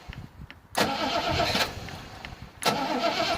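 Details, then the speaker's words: 1973 Rover P6 3.5 V8 with reconditioned starter, old relay reconnected: two strong cranking bursts with no clicking or hesitation; starting fault traced to the failed relay; normal cranking. "Start, no problem. I have it switched down because I just want to test the starter and the relay."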